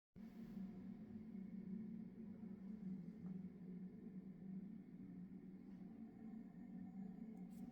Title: simagic alpha weird noise with computer turned off